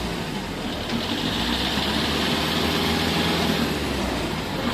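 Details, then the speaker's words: Toyota Innova test drive after over-adjusted rear drum brakes were loosened and shoe linings sanded: steady engine and road sound, no scraping from the backplate; brakes run free. "Yung pinapakinggan ko lang yung backplate kung sumasayad. Tercera. Okay, walang sayad."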